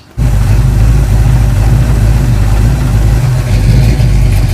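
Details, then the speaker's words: 1973 AMC Hornet rally car, automatic transmission with cooler bypassed, after topping up low fluid: deep even engine drone pulling smoothly under load with no flare, slip or clunk. Normal transmission engagement. "Oh, that's way better. Way better. Oh, yeah. It was just low."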